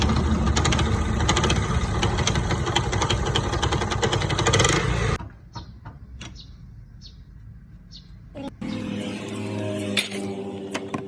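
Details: 125cc motorcycle engine, around silencer cleaning: busy idle with quick, fairly even ticking about four per second over the exhaust, then dropping away; abnormal engine noise, cause unclear.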